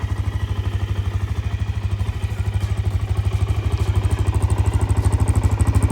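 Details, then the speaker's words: Low-hour Suzuki LTZ 400 ATV idling: an even, steady single-cylinder thump about three beats a second, with no ticking, valve or cam chain noise; quiet, healthy engine. "she definitely runs good everything works lights work nice and quiet definitely don't hear that uh no ticking no Val noise no camchain noise definitely quiet"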